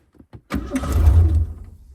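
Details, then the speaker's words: 1988 Ford Bronco II, drilled-out ignition tumbler used as key: engine catches after a few cranks, runs rough about a second, then dies; needs gas, fuel starvation suspected. "See, it started there for a second, but it needs gas."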